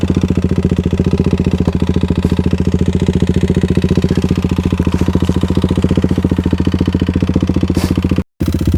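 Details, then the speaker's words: Modified Kawasaki KLX351 single-cylinder after hard riding on snow and ice, did not lock up: idle thumping about 214 per minute with a hard uneven clatter on each beat; engine knock, owner thinks not bottom end, possibly a failed cam chain tensioner. "Oh. That sounds awful. Well, guys, this could very well be the end of the KLX. I really can't tell what that is. It doesn't sound like it's bottom end."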